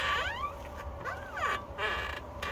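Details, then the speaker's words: Tesla Model 3 on a lift with a noisy front end. Repeated high squealing creaks slide up and down in pitch as the wheel is hugged: a dry front upper ball joint, fixed by greasing. "so we have the Tesla up on the lift and we basically figured out that it is the upper ball joint and I can kind of show you that I'm going to hug the wheel so you can hear that"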